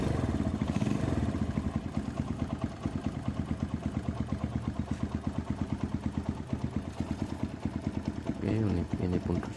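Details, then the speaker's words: Honda GL Max single after repair of slack cam chain that had jumped about two teeth, timing reset: steady, even quick idle beat with no top-end rattle; smooth and settled, no longer rough, oil flowing to the head. "Setelah ini kita coba dan ini pun dia sudah baik dan bagus untuk suaranya sudah sedikit halus sudah enak. tidak kasar seperti tadi lagi."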